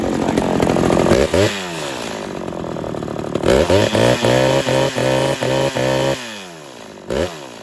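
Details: Homelite XL-113 chainsaw test run after reassembly to cure its idling problem, a cracked part found as a cause: quick throttle blips rev cleanly and drop straight back to a steady, even idle without stalling.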